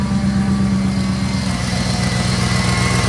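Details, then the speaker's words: 2001 Chevrolet Corvette C5 V8 at idle: lumpy idle with puffy exhaust pulses and a faint thin whine; power steering whine from suspected bad pump low on fluid from a leak, plus an exhaust leak. "You can hear that good old power steering whine, that good old exhaust leak."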